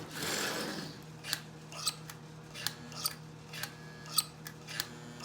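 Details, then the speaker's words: Pre-war Marx Commodore Vanderbilt locomotive, after sitting for decades, powered on the rail: sharp irregular clicks about once a second with no motor hum. The E-unit (reversing unit) cycles but the motor does nothing. "well i can hear the e unit cycling all right"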